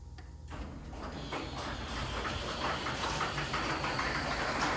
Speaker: There's nothing you can do to this door. It's just squeaky and annoying.